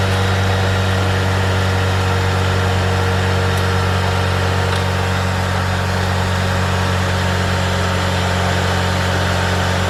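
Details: 1993 Tofaş Doğan SL 1.6 at 81,575 km, started after an oil starvation knock: smooth, even idle with steady low hum, no tapping or knocking; engine sounds healthy.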